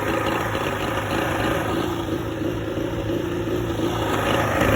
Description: 1986 evinrude 50hp outboard misfire at idle and shakey idle